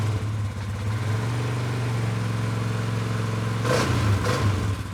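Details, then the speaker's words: 2019 Polaris Sportsman 570 X2 after top-end rebuild, first run before break-in: smooth even idle, two quick clean throttle blips dropping back, no ticks or knocks; healthy running. "Beautiful. Well, after a rebuild, that's always what you want to hear. You want to hear it start up and run good, and she is."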